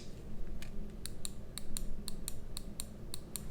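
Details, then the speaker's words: Glorious Model O gaming mouse: about ten sharp light clicks, often in pairs, as the rear of the sidewall near the logo face flexes under light palm-grip pressure, falsely triggering the back side button; sidewall-flex misfire. "I don't know if you could hear that right there, but again, I don't have to press it too hard."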